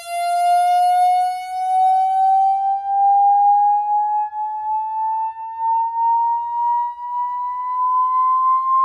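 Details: Samsung HW-Q800A soundbar on HDMI to an Insignia Roku TV, placed on a bed to rule out nearby objects: clean high whistle creeping slowly upward in pitch; the buzz comes from the soundbar itself, cause not traced.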